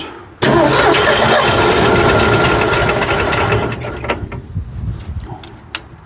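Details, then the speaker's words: 1965 Ford F100 240 six-cylinder with newly replaced carburetor, starting on choke; catches, runs unevenly a few seconds, then stumbles and dies; owner wonders if it needs choke, carburetor needs adjusting, cause unconfirmed. "Wonder of it knes choke it does run she rough though"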